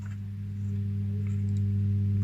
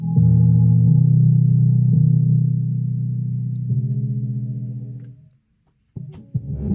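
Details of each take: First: Defender SPK LX 2.1 speaker system with the back cover taken off: the two satellite channels play, but switched to the subwoofer there is no sound, only a steady low mains-type hum. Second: Defender SPK 2.1 speaker system (subwoofer had only hummed while two channels worked): deep, clean bass plays steadily from the subwoofer with no hum or buzz; balance knob turned left and right, everything works.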